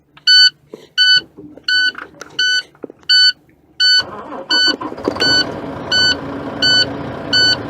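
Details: Truck diesel starting during air brake pre-operation inspection, air pressure low after pumping brakes: sharp high beeps repeat evenly, about 85 a minute, continuing as the engine fires, the low air pressure warning buzzer.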